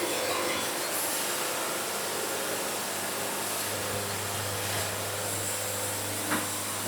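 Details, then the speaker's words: Bandsaw sawmill cutting a cant in summer heat: steady, even hiss of the blade with a low drone beneath, no ping or band jump at exit; band running flat, normal cut. "You hear how there's no sound, there's no ping when the band exits the cant. That's what you want. That means it's on flat."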